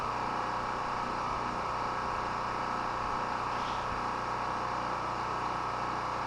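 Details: Chinese Honda-clone portable petrol generator, unused about a month, run on mostly year-old stabilized fuel: even, unbroken drone at constant speed with no surging, misses or knocks; running smoothly.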